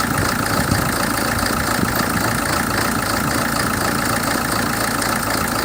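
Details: 2007 Hyundai Terracan CRDi diesel: uneven, lumpy idle with a wavering beat; rough idle fault, cause not pinned down.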